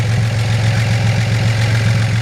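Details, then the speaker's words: 1941 Chevrolet business coupe fitted with a mid-50s 235 six and original-style dual exhaust: deep, smooth, even exhaust burble at idle with no knocks or misses; runs healthy, does not overheat or smoke. "It sounds like it runs perfect. It runs down the road with a good strength."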